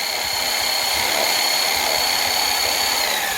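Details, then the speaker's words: Band saw cutting steel for tree house anchor bolt brackets: high steady whine with an uneven rattling flutter; the blade may be bouncing in the cut, which strips the teeth, so the metal is flipped and recut. "And now you hear it might be the blade's kind of bouncing around a little bit. That's bad. So that strips the teeth out."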